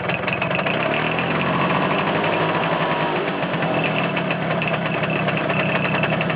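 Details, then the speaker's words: Vespa T5 at idle, clutch engaged and disengaged: busy, rattly idle with an uneven clatter over the engine note that stops when the clutch is pulled in and returns when released; abnormal noise, cause unclear. "Je débrais. Plus de bruit. Je rembrais. De nouveau le bruit."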